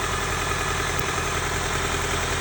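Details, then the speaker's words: 1995 Honda Civic D16Z6 1.6 L inline-4 at idle, started misfiring badly on the drive home: loud, rough, uneven idle with a lumpy shaking pulse and smoke; owner suspects a leaking injector. "My initial thought is I've got a leaky injector. And the things that point that out is it's running real rough."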